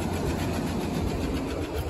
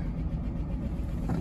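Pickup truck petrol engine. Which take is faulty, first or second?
first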